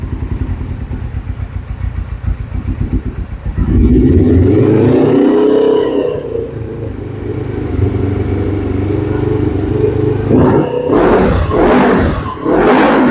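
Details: 2007 Suzuki GS500F twin, first longer run after sitting, warming up on choke: settles from a choppy putter into a steady, even idle, then clean throttle blips, no knocks or misses; normal running.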